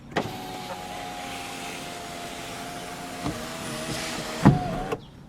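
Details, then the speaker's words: Toyota Camry sunroof after lubricating with silicone synthetic grease, heard inside the car: steady even motor hum about five seconds, no clunks or jerks, soft stop while closing; the earlier clunk is gone; normal sunroof operation. "remember the clunk from before much smoother much nicer than it was just run it back and forth a couple times it's going to be a lot happier that way"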